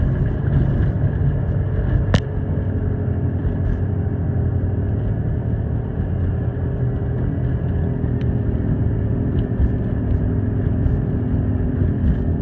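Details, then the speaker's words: Rust Belt Chevy Impala on first test drive after rear suspension repair, recorded on phone: low, steady loud growl from the front while rolling slowly; front wheel bearings suspected. "I hope that's wheel bearings there's if you can't hear it on the phone microphone there's definitely a real loud growl coming from up front so looks like it's gonna be time for some new bearing hopes"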